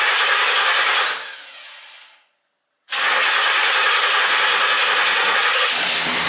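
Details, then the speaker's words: 1968 Pontiac GTO (461 stroker, TH400), cold start after sitting since November, battery trickle-charged: cranks, fades briefly, then catches and settles into a steady, even V8 roar, a healthy cold start. "let's try a cold start it hasn't been run since November"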